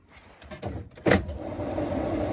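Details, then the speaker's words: Triumph TR7 under restoration during an electrics check before first start: a switch click, then a steady soft whir builds evenly with no rubbing or rattle. The heater blower fan works. Normal heater blower operation. "okay so we got fan so that's little working"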